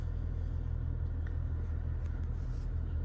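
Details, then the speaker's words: 2002 Mitsubishi Lancer, first start after ignition and engine parts were replaced: low uneven idle with a loose, lumpy pulse and the engine rocking back and forth; rough idle, cause unknown, owner hopes the ECU is relearning the new parts. "Okay, that's definitely the car rocking back and forth. I don't know what that's all about."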